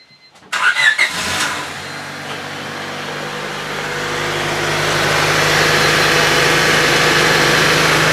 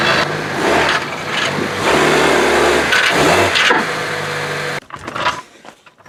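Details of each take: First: 1999 Honda Civic EX 1.6 VTEC D16Y8 after replacing the catalytic converter and rear downstream oxygen sensor: catches quickly and settles to an even, steady idle with no misses, knocks or ticks; no leaks, running as it should. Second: 1999-2000 Honda Civic EX, 1.6 D16Y8 VTEC, revved: the engine sounds choked and flat. It started with a heat-shield-like rattle varying with engine speed, then lost about half its power; suspected broken-loose catalyst plugging the exhaust, fixed by replacing the catalytic converter.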